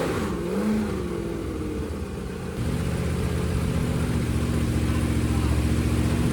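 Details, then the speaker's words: 388 small block Chevy with vintage Hilborn mechanical fuel injection, MSD ignition, fuel pressure over 50 psi, first startup on stand: smooth, even V8 burble, picks up cleanly when revved and settles steady, no misfire or knock; running well. "It sounds good. Yeah, it does. I like it. It does."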